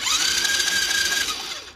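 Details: Cheap Chinese 110cc ATV being rebuilt, cranking after fixing the stator that was hitting the flywheel: steady high starter whine rising then holding, with no scraping or rubbing; spins over clean and healthy.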